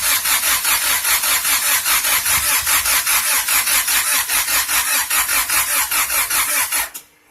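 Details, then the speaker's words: Honda B-series engine first start after rebuild and timing belt install, exhaust not fully connected: starter cranks steadily about seven seconds with no firing; owner suspects the tune, hopes not an internal assembly error. "So as you've seen in the last clip, damn thing don't want to start. I believe it could be the tune."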